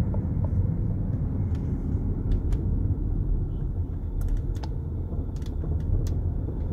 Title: f15 x5 front suspension noise